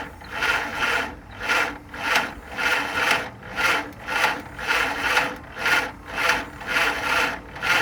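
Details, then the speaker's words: 1948 Willys CJ2A Jeep four-cylinder, sat for decades, fresh oil, fuel added, timing set to top dead center: slow rhythmic churning, about eighty compression pulses a minute, no firing catch; cranks but won't start, owner suspects distributor installed wrong. "It's trying. So I've put this thing together almost every which way as far as the wires configuration and whatnot, and it just won't seem to really run right."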